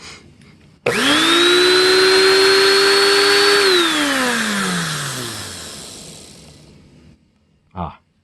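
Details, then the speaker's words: TriStar Turbo Brush power nozzle motor, test run after rebuild replacing gritty, dried-out bearings: smooth, even high whine spins up fast, holds steady with no grit or rattle, winds down cleanly; healthy motor. "like a motor should sound"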